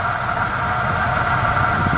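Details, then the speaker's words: 1973 Oldsmobile V8 started after sitting 27 years, running on its own old gas topped with about three gallons fresh; steady, even low rumble settling into a smooth idle, no misses, knocks or surges, charging the old battery; normal idle. Points still to be checked. "let y'all listen to it run after 27 years it's just running turning on its own gas it's trying charge that old battery up"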